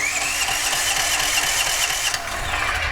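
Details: DuroMax XP13000HXT tri-fuel generator in gasoline mode, runs on propane only: fast cranking with brief sputters that never catch, then winds down; cranks but won't start, engine oil found severely low, suspected bad gas or water in carb.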